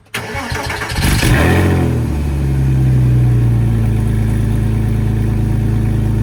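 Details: 2003 Porsche Boxster S (986S) cold start after both secondary cats (rattling internally) were replaced with test pipes; Krios exhaust mod with drilled muffler. Engine catches within a second, flares, then settles to a steady deep idle with no rattle. Normal cold start.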